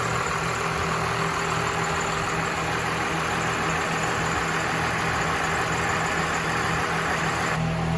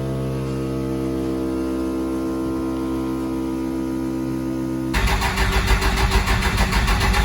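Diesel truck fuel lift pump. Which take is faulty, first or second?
second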